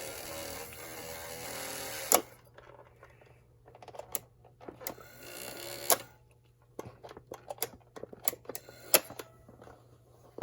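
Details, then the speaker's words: 1960-64 German PhonoTrix battery reel-to-reel tape recorder during repair, fresh batteries fitted. The motor hums faintly and steadily under handling clicks; it runs in one direction but not the other. "Motor's running now. At least one direction. Not running the other direction."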